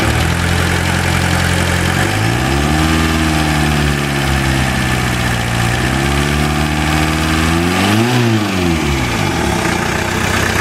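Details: VW Jetta diesel idle, new rod bearing and new lifters under 100 miles ago: steady light tick about three per second over the clatter, holding through small rev changes; source unconfirmed.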